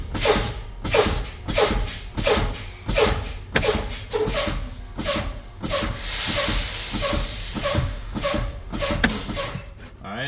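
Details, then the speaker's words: During an in-cab pre-trip air brake pop-out test on a truck, sharp air hisses repeat every second or two as the brakes are fanned, then one longer release. Both parking valves popped out at 30 PSI (spec 20–45 PSI), so the brakes work normally. "What I do, I continue fanning my brakes and between what? 20 and 45 PSI, both of them valves should pop out setting my brakes."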